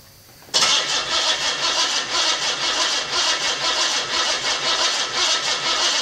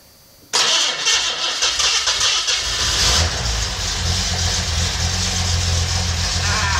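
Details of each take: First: $50 L28 six (240Z) freshly rebuilt with chrome-moly rings and new bearings, first fire-up: catches at once, fast even idle with light crisp ticking, slightly tappy valvetrain; good oil pressure, no smoke. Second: $50 L28 six (240Z) freshly rebuilt with chrome-moly rings and new bearings, first fire-up: short crank, catches and settles to a steady even idle, no knocking or ticking; good oil pressure, no smoke.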